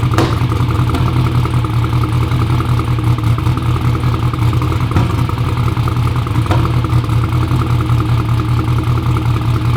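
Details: "Black Sheep" V8 at first fire-up cranks and runs with a loud lumpy idle, uneven beat and sharp exhaust pops; misfiring, popping and backfiring traced to two spark plug wires installed backwards.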